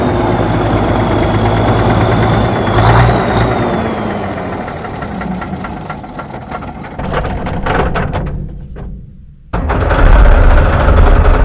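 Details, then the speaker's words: Euclid 74TD dump truck with turbocharged Cummins diesel, sat for years: runs steady and low, then sags and fades out as if starved and stalls; owner suspects air picked up in the fuel system, fuel tap found on. "It sounds like it must have some air. It must have picked up some air somewhere in the fuel system. That's why it shut down."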